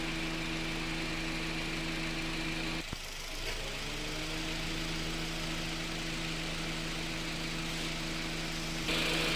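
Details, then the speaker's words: Honda City after AC repair (loose bearing had burnt compressor clutch; clutch set replaced, compressor oil changed, O-rings, filter, refrigerant): engine idling, steady hum with brief dip as compressor clutch cycles; AC normal, cabin 5°C at 32°C outside. "เราก็เปลี่ยนชุดหน้าคณะที่ว่ามาตอนแรกนะครับไม่ทำงานนะคะตอนนี้มันก็ทำงานปกติค่ะ"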